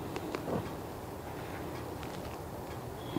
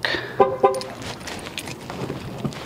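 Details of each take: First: 2016 Dodge Caravan sliding door on locking: quiet background, then a sharp, raspy electric buzz of under half a second from a faulty door lock actuator, to be replaced. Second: 2016 Dodge Caravan sliding door after lock actuator replacement, which fixed buzzing on locking: two quick horn chirps with short lock clunks and no buzzing from the door; normal sliding door lock actuation.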